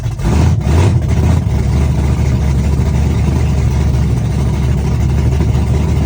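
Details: Chevrolet S-10, first cold start of the day, open headers, Holley red electric fuel pump, cam about .480/.488 exhaust lift, ~297° advertised duration: loud, deep rumble with loping uneven beat, steady and strong; normal big-cam idle.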